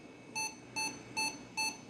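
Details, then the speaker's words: Japanese auction computer powered on from mains adapter with its nickel-based battery removed; four short, even high-pitched beeps about half a second apart, same power-on error as before, so battery likely not the cause; cause unknown. "Yeah, it kind of sounds like the same behavior, so I don't think it had anything to do with this battery"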